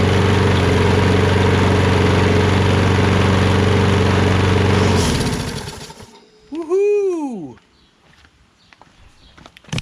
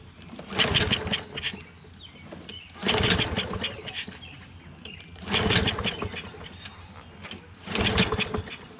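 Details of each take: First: Poulan 22-inch self-propelled mower with a Kohler XT675 engine, after a quick carburetor bowl clean: an even, steady drone for about five seconds before shutdown. Normal running; it now runs on its own. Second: Poulan 22-inch self-propelled mower, Kohler XT675 engine on auto choke, with starting fluid sprayed in: catches about a second per pull, then dies; it has spark and compression but fuel isn't reaching the engine, a carburetor clog suspected.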